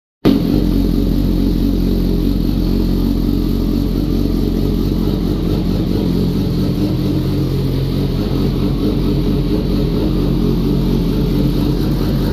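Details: Kawasaki ZX-10R that had cranked with no start and no fuel pump prime, now fitted with a new ECU: it fires immediately and holds a strong, even beat with crisp revving and no misfire or rattle. Normal running.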